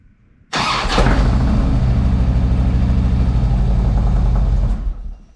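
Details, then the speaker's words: Harley Ultra after starter and compensator work: brief crank, then the twin catches promptly and runs evenly for about four seconds; normal cranking and start. "Well, let's try that again. That sounded good."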